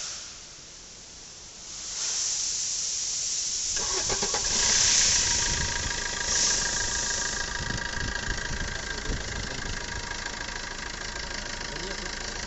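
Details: Maruti Suzuki Ertiga with a no-start problem and no fault codes on the scanner, battery drained by repeated cranking, started by bypassing a small relay: after a short crank the engine catches quickly and settles into a steady, even idle, no misses or knocks; normal idle.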